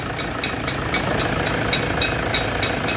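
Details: Toyota Hilux engine knocking: sharp, regular knock about three times a second over a steady idle.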